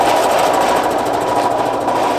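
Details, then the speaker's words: Air compressor, used alongside a 1964 Ford Thunderbird being revived after nearly 30 years, housed in a big box, rattles loudly and harshly while pumping up pressure, sounding like it will tear itself apart; it quiets considerably once it reaches pressure. "It's rattling itself to death and sounding like it's going to tear itself apart."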